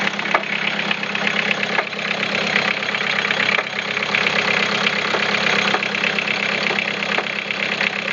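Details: Toyota Caldina 3C-TE diesel, sharp uneven knock about three times a second over a rough clattery idle, from the piston area and carried through the whole engine; cause unclear.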